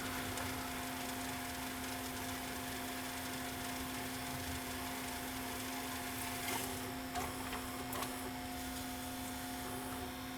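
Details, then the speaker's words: Samsung SV-5000 multi-system VHS VCR after mode switch and bad power-supply capacitor replacement, which previously failed on full rewind: steady even motor whir with constant low hum, no snagging or chatter; short tape rewinding normally without eating it. "modes let's try to rewind because if this is where it was having problems before was going on full rewind and is it going to rewind and not eat the tape"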